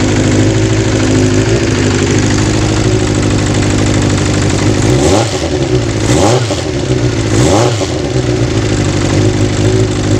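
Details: Kawasaki GPz 400 after fixing a hard start and overflowing carb: smooth, even idle with steady firing, then two clean throttle blips that rise and settle back; runs healthy.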